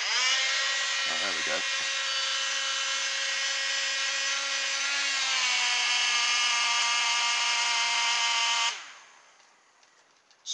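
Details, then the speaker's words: Hovercraft fan motor burnt out by too much voltage: a high thin whine that steadies once the motor is spun up by hand, then dies away when it stops. It sounds awful and needs replacing. "This one, uh, when I do get it going, it sounds absolutely awful. I think that's going to go. Basically, they're burnt out, so they need to be replaced."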